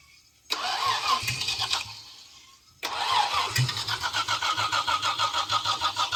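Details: 1937 Chevy Coupe original Stovebolt 216 inline-six, first start after decades; cranks and catches, oil pressure rising, runs briefly then fades, fires again into uneven idle. Engine stalls after starting; possibly wants choke, unconfirmed.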